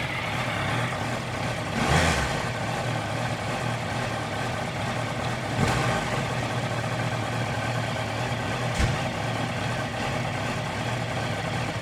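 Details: 2018 Honda CBR650F idling cold unevenly with a faltering beat and a few short throttle blips around two, six and nine seconds; rough idle on cold start.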